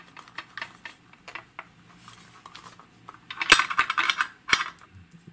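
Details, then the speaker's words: Clifton Precision ABK-19 static air temperature indicator shaken, giving irregular metallic clinks and rattles; a connector has come loose inside. "seems that something is loose inside."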